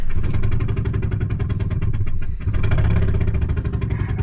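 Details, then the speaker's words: 1999 Ford F250 with 6.8L Triton V10, before the spark plug hole is re-tapped. Loud rapid chuffing pulses over a rough idle, puffing out of one cylinder: a spark plug has blown out. Owners suspect the truck is in limp mode. "well here in about an hour i'm really hoping that it doesn't make this noise anymore see we think it's in limp mode is why i wanna it's the worst steam engine i've ever operated"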